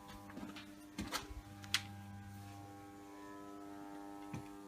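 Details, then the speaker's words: Servis M6011S washing machine switched on for a 60-degree wash with only the cold hose attached and the hot hose disconnected. A quiet electrical buzz with faint clicks and no water rushing: the fill valve is energised but gets no water. "that sounds like it. That's coming from up here. The water's turned on, so it sounds like it's not getting any water, which is funny. So it's not the machine motor, it's up here."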